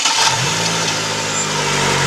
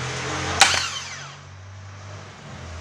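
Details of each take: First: 2009 Chevrolet Agile 1.4 cranking: harsh metallic scraping like a rattling can, sometimes louder, then the engine catches; the starter motor had no defective parts but was very dry, fixed by lubricating it. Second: 2009 Chevrolet Agile 1.4 starter motor after lubrication, run on the bench: two short spins, each a sharp kick then a clean whine winding down, no grinding; the earlier metallic noise is resolved.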